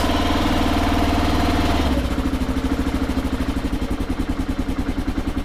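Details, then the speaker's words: 2009 KLR650 adventure bike with 10,443 miles, started needing a little choke: brief higher choke idle, then an even single-cylinder thump settling to a calm idle; the exhaust is very quiet with no chirp at all. Normal idle. "Sounds super quiet. Something they did to this model year is the exhaust. They got rid of the chirp. It doesn't chirp at all."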